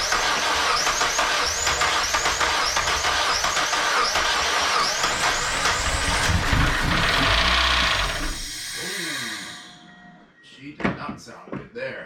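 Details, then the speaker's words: Mazda Miata first start after replacing valve seals, timing belt, pulleys, water pump and serpentine belts, with new plug wires: loud regular chirping tick about three to four per second over the engine; owner fears a bent rod or one dead cylinder; cause unclear. "i don't know it doesn't sound too good youtube i might be really disappointed with myself in a second if i see something i'll be like oh i should have done that the belt's still together so it's not the belt almost sounds like i just bent the rod kind of sound but hopefully not"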